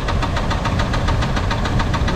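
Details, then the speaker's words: Rod knock heard through a wooden handle used as a stethoscope, sharp regular knocking about seven times a second over idle, more pronounced on one side of the oil pan. "right there we have it it's on this side of the oil can I can hear it more clearly it's more pronounced there"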